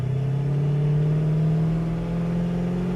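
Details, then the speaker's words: 1969 Pontiac Firebird on road test, giving it gas: smooth, even rise in engine note, steady pull with no misses or stumbles; normal acceleration, performs fantastic. "But the car absolutely performs fantastic."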